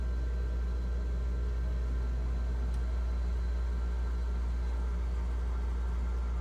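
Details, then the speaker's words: GE French door refrigerator fresh food evaporator fan after freeing seizure caused by clogged drain; smooth, even low hum, no ticking or scraping; fan spinning freely, normal running. "Fan's running now y yeah took a little bit I thought I thought she was done but she's she's smooth as the butter"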